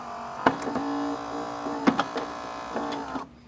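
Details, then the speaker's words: Saeco Intelia Focus coffee machine in test mode, brew unit moving to work then home position: steady low motor hum with sharp micro switch clicks, then a clean stop; brew unit motor and both switches working normally. "we know that our two micro switches are working one for home and one for a work position for the brewing and most importantly the brew unit motor so that's good we're all good there"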